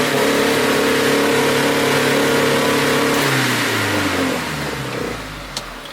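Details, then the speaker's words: 1000hp GSX during fuel tuning with no wideband, running lean then rich, after swap to stock ignition; revs hang high about three seconds after a blip, then sag slowly to idle; throttle sticking suspected. "That was weird. That was almost like the throttle stuck or something, as far as I could tell."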